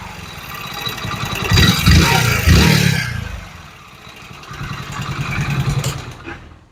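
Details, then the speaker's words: Hero Splendor BS6 motorcycle, 35,000 km, used for hotel deliveries: rough clattering knock rising with each rev and persisting at idle, crankshaft knocking from the engine. "तो गाड़ी कुल 35000 kilometre चली हुई है और इस गाड़ी के इंजन में से क्रैंक की आवाज आने लगी है"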